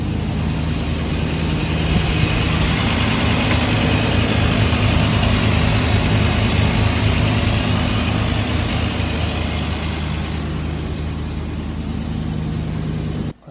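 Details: Fuel-injected 1987 Chevy C10 Silverado long bed, abandoned 10+ years, first start after replacing both dual tanks and fuel pumps: steady even low rumble, smooth regular beat, no misses or knocks; idling cleanly.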